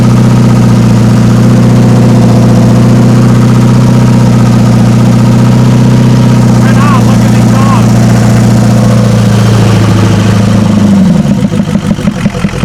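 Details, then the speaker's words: Ford 7.3 IDI diesel one-ton truck, thought unrun for about 8 years, first start with no turbo fitted: loud, lumpy, smoky idle with an uneven missing beat, then it shuts down near eleven seconds; dead cylinder, possibly injectors suspected. "Whoa, she's smoking. Not very good. Yeah. and it's got a dead cylinder."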